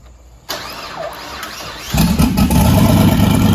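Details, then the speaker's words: LS1 V8 one-tonner with upgraded Aeroflow 78/75 Gen 2 turbo and freer-flowing exhaust: starter whirrs, engine settles into loud, deep, even idle with throaty, somewhat noisy exhaust, no knocks or misses. "Yeah, it's from having to breathe through that to only having to breathe through that is a fair bit of difference in flow. It is a bit noisy."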